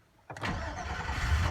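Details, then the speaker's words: 2004 GMC Sierra 5.3L after starter replacement, starter relay ground jumped: quick crank catches, runs about a second, then sags and stalls; owner suspects fuel relay or missing ignition feed. Engine starts then stalls. "it'll just keep stalling. So I'm thinking there's a fuel relay or something that's not getting ignition or something."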